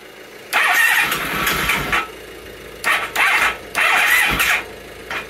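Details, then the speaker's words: 1997 Honda ST1100 Pan European, long neglected, plugs in, on a jump pack with starting fluid. Repeated starter bursts turn the engine without a clean catch after a single backfire; not knocky, oil light went out, heavy smoke. "I think we'll call that a start time to stop torturing the electrics but it's good the engine doesn't sound knocky the oil pressure light went out there was an Unholy cloud of smoke"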